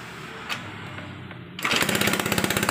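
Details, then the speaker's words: Honda Beat fuel-injected scooter that seized from running out of oil, started after injector cleaning at 40 fuel pressure: catches suddenly, settles into sharp raspy puttering idle with crisp popping; exhaust leak, gasket not yet replaced. "Nah, ini knalpotnya masih bocor ya guys ya. Perpaknya belum kita ganti, nanti kita akan benerin lagi ya guys ya."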